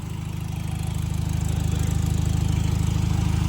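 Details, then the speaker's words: Electric cooling fans on a project car being prepared for a dyno, switching on near 162–168 after wiring adjustment: strong even low drone over the engine with fast regular pulse; temperature regulates back to 165, fans working normally. "so you hear it all we hear it on now so fans D it went down even more fans came on and now it went down"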